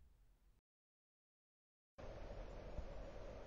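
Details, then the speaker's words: Excessive background noise from a prototype DIY hi-fi microphone: after a dead-quiet gap, a steady low rushing hiss comes up and stays, suspected to be power supply noise getting into the preamp. "currently the main problem is the excessive background noise it sounds like this"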